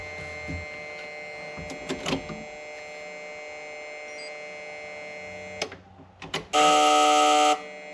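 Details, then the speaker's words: Foxbody Mustang restomod with a Gen 2 Coyote, key on and engine off after flashing a 93-octane base tune: a steady fixed-pitch electrical buzz from the fuel pump relay, blamed on a faulty tune. It persisted even after flashing back to stock. "All right, before I start this thing, I want to figure out what the hell that noise is."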